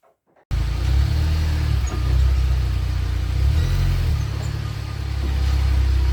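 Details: UAZ Patriot rear axle after reassembly and pinion adjustment; the knock came from an under-tightened pinion nut and damaged bearings. Now a steady low road rumble while driving, even, with no knock or clunk; the knock is gone.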